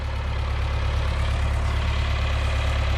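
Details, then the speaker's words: John Deere farm tractor, running after the owner fixed a front rattle by fixing a front collar and swapping the bushings: deep, steady thrum with no rattle or knock; running smoothly. "so that tractor sounds really nice like I said uh I fixed that one part in the front and took that rattling out of there"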